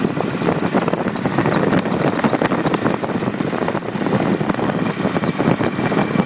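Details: Nissan Titan after Stillen supercharger install: steady high-pitched squeal over the running engine, consistent with a slipping supercharger drive belt; cause suspected, not confirmed.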